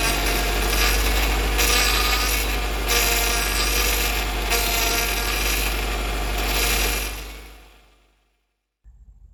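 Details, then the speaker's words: Honda Accord CB9 with H22 Prelude engine swap, running while steering left and right: harsh rasping groan that swells and eases with each sweep; power steering pump starved by a constriction in the power steering hose. "g to go ahead and give you guys a demonstration of what this power steering groaning is sound like with this constriction in the power steering hose"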